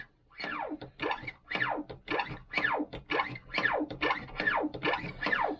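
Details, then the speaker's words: New 12-gauge overshot card and wad punch die that was less well lubricated than its mate: high squeals sliding down in pitch on each stroke, about eight in six seconds; a dry, rough-finished die needing polishing and oil. "but it's speaking to me so we're going to put the other one in just for giggles so you can hear the difference again"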